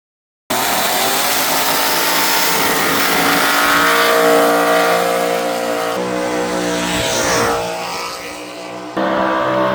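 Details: 403 stroker 6.0 L LS V8 with stroker crank and Scat rods in a honed 5000-bore block: revs climb and fall cleanly, crisp even firing with no knock, miss or rattle; healthy.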